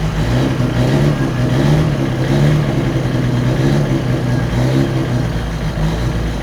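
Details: Autobianchi A112 Abarth race-spec 1050cc engine, converted from chain to Triger cambelt, first start in years on choke: steady eager low note with faint light rattle, good oil pressure; running normally, slightly better than the owner's chain-drive engine.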